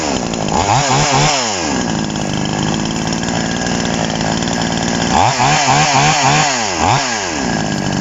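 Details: TOMITSU 5800-body two-stroke chainsaw, sprocket-gear clutch type, first start after initial carburetor adjustment with a screwdriver: even idle, then several quick throttle blips that snap up cleanly and drop back without stalling; healthy.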